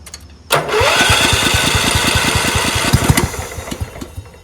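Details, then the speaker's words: Free Craftsman LT1000 lawn tractor, cranked on choke, fuel level unknown: starter whirs with quick uneven chuffs about three a second, engine barely catches then fades; low compression, smokes, runs only about 30 seconds, engine to be swapped. "It was running, has low compression. And I need to swap out this engine because this engine starts, but it smokes and it only stays running for like 30 seconds or something until the compression g"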